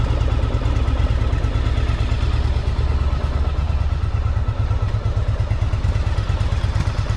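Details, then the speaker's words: 1984 Yamaha Virago 1000 V-twin running after carb flooding fix and refitting cleaned fuel tanks, no fuel leaks; steady even thumping with deep exhaust beat about three pulses a second, no knocks or misses; sounds good, slight backfire noted. "But, it's running and it's not we can feel everywhere. It sounds good, too."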